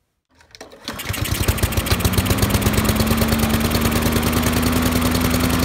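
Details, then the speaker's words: Honda lawn mower with an auto choke, the symptom in a Honda service bulletin (engine chugs and stalls after startup): it fires and chugs unevenly below full RPM for a second or two, then smooths out and climbs to speed. "That way it started up and it was chugging really bad. It wasn't coming up to full RPM, and then all of a sudden it smoothed out and then came up to RPM."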